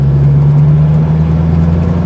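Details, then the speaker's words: Light car with a 4.6 V8, after tuning cured earlier jerkiness: a deep, steady drone pulling evenly in 5th gear at very low revs, with no stumbles or surges and strong pickup. It runs smooth and healthy. "and we've got masses of pickup in 5th gear. No problems there then."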